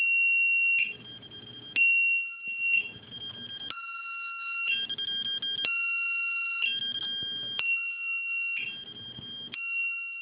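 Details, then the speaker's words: Lost-model locator beeper plugged into the rudder servo channel of a T-28 RC plane, triggers after 60 seconds without servo movement: loud shrill beeps in roughly one-second bursts with shifting pitch, continuing until the rudder is moved. "now this thing is going to continue beeping as long as the battery's plugged in unless you touch the rudder you move the rudder around and it shuts itself off automatically"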